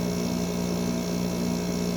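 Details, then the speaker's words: Normal compressor running on a 5,000 BTU Fedders window air conditioner, likely early 2000s, with mechanical controls, putting out warm air at the back. A steady, even low hum with no clatter or surging; the compressor sounds healthy. "That is really cool sounding. That's putting out some nice warm air."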